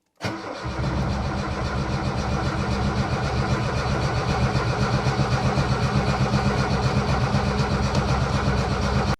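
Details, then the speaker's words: 1978 Lada Niva, unstarted for two years, carb freshly filled after fuel line replacement: starter cranks steadily about four beats a second for nine seconds and never catches; no spark. "My first impression is that there are no spark."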